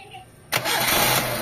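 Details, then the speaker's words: Carbureted Mitsubishi Lancer "pizza" after carburetor cleaning and tuning, and wiring repair for hot fuses and relay with A/C on; previously hard starting when warm: short pause, then a sharp crank and instant one-click start into a steady run; normal start. "Ayan mga bossing, one click start na rin siya. So kanina nung dumating siya is hard starting mga bossing."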